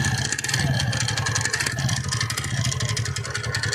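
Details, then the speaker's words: TVS Ntorq BS6 scooter at about 9,000 km, idling: fast sharp metallic "kat kat" clattering from the clutch side; mechanic says the one-way clutch nut has come loose, engine to be disassembled. "तो चलिए आप लोग ने sound सुना किस तरह cut cut cut पूरा sound आ रहा है तो इसमें क्या क्रैंक साउंड कर रहा है य इसका वन प क्लच खुल चुका है नट पूरा कर रहा है"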